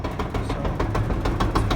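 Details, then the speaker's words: LG gas dryer DLG2526 running: rough rhythmic thumping rumble several times a second; drum looks fine, so a worn drum support roller is blamed. "take off sounds terrible check the drop see if it's all good in here the drum looks good so it's gonna be one of the little wheels"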